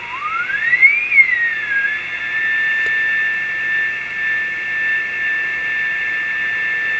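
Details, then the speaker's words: Yaesu FT-101 receiver after replacing a weak RF transistor with a 3SK40, signal generator set to -120 dBm: a whistle sweeps up into a clean, steady high tone over light hiss. It now receives the weak test signal properly. "we'll turn it on and see if we hear a signal this time and we do"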